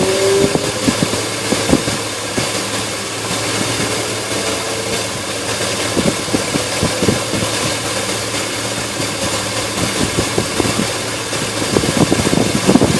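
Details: Engine idling with an uneven, stumbling beat and irregular pulses under a constant hiss; rough idle, cause not evident.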